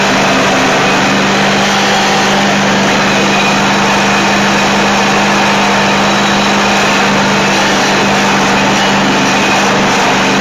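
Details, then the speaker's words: Dixon zero-turn friction-drive mower after new cones, spindle bearings and belts: small engine holds a steady, even note with no misses or knocks. Normal engine running. "And I'll uh release the brake after it starts, and you'll see that uh you know, the uh the throttle response is real good, but still the the cups don't turn."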